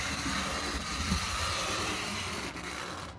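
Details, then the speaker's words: Trix HO 2-10-0 steam locomotive, long stored in its box, short-distance test on layout: small motor whirs with uneven rattly chatter and faint ticking; owner blames poor track work, electrical versus mechanical cause unconfirmed. "i mean it's not bad really it's just it's just the track work"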